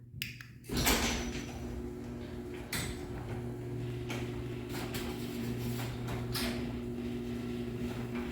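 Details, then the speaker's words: Garage door opener model 3585 on big door, replacing an 8550; steady low motor hum with faint rumble as door travels, slight grind on the way down considered normal; runs smooth and much quieter than the 8550. "So it does grind a little bit, but that is so much quieter when you compare it to the 8550."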